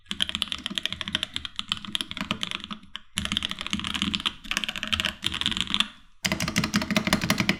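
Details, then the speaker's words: Keyboard with Gateron Black Ink switches on an aluminum plate, as bought used: fast clacky typing with hollow rattly bottom-outs; loud spacebar stabilizer rattle. "The rattle on the spacebar was so brutal that I didn't really use this board on a daily basis, as I had other cheaper boards that had better sound than this."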